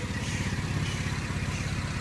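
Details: LFX V6 swapped into a 2011 LLT car, first start: sharp even puffing about twelve a second at the front of the idling engine, exhaust leaking from unconnected manifold pipes.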